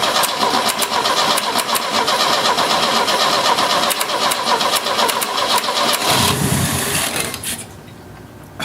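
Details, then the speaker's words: 1970 Opel GT barn find, first start in about 30 years after a carburetor change: fast starter cranking with uneven pops as it tries to catch, then dies. It fires intermittently but won't keep running; points not yet checked. "it should have been gone by now i thought but it kept yeah trying to fire so i was kind of curious"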